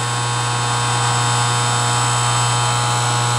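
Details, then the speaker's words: 20-year-old Whirlpool dishwasher, started after delay: steady motor hum with fixed tone and no sound of incoming water; motor/pump runs but the dishwasher does not fill with water. "It's running. I guess that's the pump. Is that right? But normally when you do this, it would be filling it up with water."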